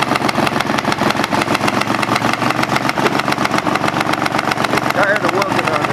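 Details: Craftsman GT5000 lawn tractor twin after woodruff key replacement, run without cooling fan and housing: uneven, lumpy pulsing near four beats a second, shaky unsteady idle; rough running with vibration, cause unknown, owner doubts crankshaft or weight problem.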